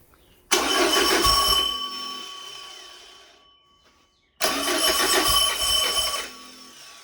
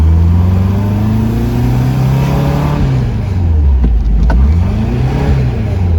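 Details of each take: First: Porsche 914 with newly built 2056 cc engine, performance cam, enlarged valves, dual throttle body MegaSquirt EFI, 123Ignition, on test stand, first start: cranks, catches about two seconds, fades and dies, twice; too lean, fuel not set correctly in software. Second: Porsche 914, newly built 2056 cc engine, dual throttle body MegaSquirt EFI, performance cam, enlarged valves, Tangerine Racing exhaust, 123Ignition, road test in basic tune: throaty note climbing and falling smoothly, pulling evenly with strong torque; healthy.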